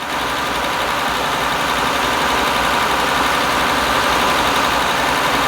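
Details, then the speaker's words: 2000 Honda Accord 3.0L, code P0505 idle air control, warm engine: steady raised idle around 1500 RPM with an even busy hum and no hunting; idle speed stuck high, cause still being diagnosed. "1500 RPM 1,500 RPM so the RPM is high yeah okay let me see if I can let me see if I can put the engine RPM here yeah so the ID is high"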